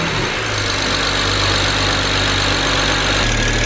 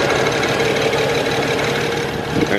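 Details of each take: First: BMW 335i with N54 engine, after a misfire, now with new NGK plugs one step colder than stock, cold start: steady, even idle with a smooth low drone and no stumble or miss; runs smoothly, misfire fixed. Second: BMW 335i N54, tuned: uneven, lumpy idle with recurring skip after 4,000 rpm run, one cylinder constantly misfiring with injector shut off for protection, exhaust pipe shaking.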